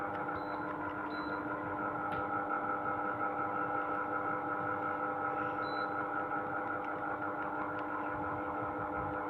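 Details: Sharp AH-A5UCY air conditioner (Gree OEM) running noisy: steady hum with a couple of fixed tones and a faint repeating tick, louder than it should be.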